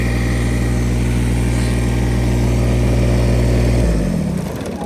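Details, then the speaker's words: Kubota BX1850 compact diesel tractor, bought around 2008, after a new ignition switch and new battery were fitted, which had failed to shut off before. Steady, smooth idle, then a clean wind-down to silence at switch-off; it runs and stops normally. "I'm gonna run it, let it charge up the battery some."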